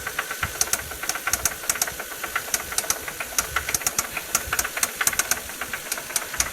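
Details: Toyota 1JZ-GE engine blipped: sharp metallic knocks about two per second rising with revs; VVT-i gear was suspected but a spun bearing shell was found; rod knock.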